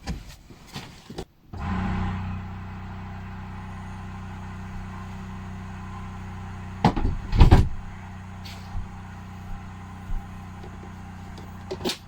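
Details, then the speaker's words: Simplewater ECO12 12V 60 L/h watermaker on a boat, valve switched to rinse position: low steady electric pump hum starts and holds an even drone with a few nearby clunks, pump running normally as fresh water enters the membrane. "voilà nous sommes en position rinçage on entend la pompe à la pompe du système de 12 du bateau qui se met en marche"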